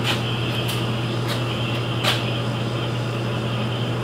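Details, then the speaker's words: Beverage-Air UR30GE commercial refrigerator compressor after new 193 µF capacitor, test run before reassembly: steady low hum with faint whir, earlier clicking gone, runs smoothly and getting colder. "I'm not hearing that click no it's not clicking anymore"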